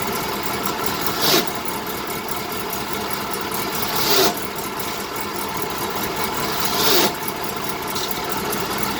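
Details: 1970 BMW 2002 idling; a harsh grinding occurs only as the clutch pedal is released and goes away when the pedal is fully disengaged.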